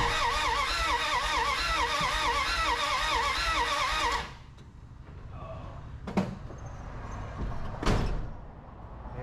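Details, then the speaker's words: 1981 Dodge D150 (Black Pearl) cranks but won't start: steady starter churn for about four seconds, never fires. Distributor just gapped to 0.008, spark now present, little gas in tank due to leaking fill hose; owner suspects no fuel reaching carb and choke problems. "not getting fuel up there yet I don't think but we are getting sparked finally sure that choke is causing me some problems there"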